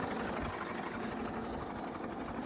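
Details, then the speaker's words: Late-1955 original Farmall Super MTA diesel tractor, same engine as TD6 dozer, idling at about 350–400 rpm after full throttle: slow, even, unbroken chuffing, percolating like a sewing machine; normal diesel idle. "This engine just has a beautiful sound idling. It just percolates like a sewing machine, as an old friend of mine used to say."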